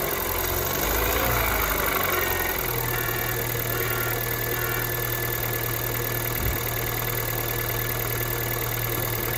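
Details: Kia Ceed 2nd generation 1.6 engine cold start: catches and settles to a steady idle hum with a light, irregular tapping over it; engine knock when cold, cause unclear.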